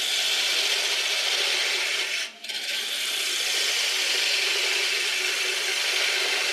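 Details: Woodturning a 7 x 3 inch bowl blank with a sharper gouge: steady even hiss with one brief lift-off, no chatter or tearing, clean cut versus earlier chip-out.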